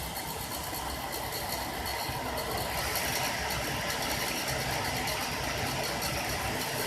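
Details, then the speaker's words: 1965 Ford Mustang heater box blower motor, bench-run after rebalancing with blue tack, vibration reduced to about a seventh: even, steady airy whir without the previous metallic banging; blower now runs smoothly. "and as you can hear probably that is a lot quieter and doesn't have that awful metallic banging about it so i'm quite pleased with that"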